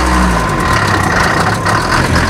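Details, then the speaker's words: Cold Mercedes T1 310 diesel van (rare Larag/Oberaigner 4x4 conversion), started after pre-glow: loud, low idle with an uneven, lumpy beat, possibly running on only 3 cylinders, said to improve when warm; slight smoke at rear, owner suspects injectors, possibly cylinder head. "läuft auch nicht ganz rund. Hörst du? Könnte sein, dass er nur auf 3 Pötten läuft. Wird aber besser, wenn er warm ist."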